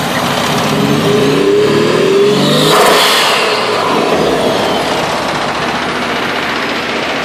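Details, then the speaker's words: RB20DET after an ECU change, misfiring on cylinders 4 and 5 despite coil and harness swaps, lacking vacuum, turbo known worn: loud revving with a rising and falling fluttery whoosh on throttle as the blow-off valve fails to open; compressor surge. "getting compressor surge. Yeah, not liking how it's running."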